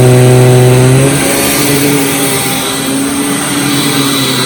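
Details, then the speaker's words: Hoover WindTunnel Supreme U5468-900 upright vacuum, thrift-store find awaiting refurbishment, with a finicky power switch that turned on while set to off. Steady motor whine with an aggressive, busy brush roll on carpet, even throughout: normal running. "but as you can see uh Grooms the carpet very well and you'd hear that brush roller is very aggressive"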